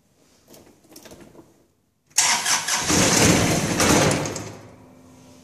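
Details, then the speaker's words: 2014 John Deere 2025 diesel tractor, cold start just above freezing after glow plugs, catches roughly and roars unevenly for seconds; hard starting, same as the previous day. "I just started this thing yesterday, and it started like crap. Let's see what happens today. Glow plugs off. Looks like the same situation."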